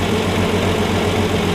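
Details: 1965 Plymouth Valiant 170 slant six, three-on-the-tree, after fixing stalling from missing heat riser boiling the carb with junkyard intake and exhaust manifolds: smooth constant low idle hum, no surging or dying, healthy; worn carb throttle shaft noted as vacuum leak.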